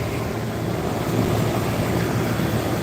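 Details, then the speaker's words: AC condenser after new condenser fan motor fitted: even, steady fan rush with smooth low compressor hum beneath, compressor calmer now the fan runs, no rattle or squeal; normal condenser operation. "you can actually hear that compressor you can hear that compressor run and if you had to question the orientation look at the tow the towel is blowing"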